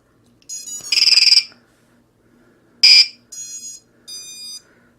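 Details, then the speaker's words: ViFly Finder quadcopter buzzer, plugged in through a smoke stopper before install: several short, shrill electronic chirps in separate bursts on a quiet bench; the power-up chirp confirms it works. "right, we heard that, so we got a chirp. We know that's working."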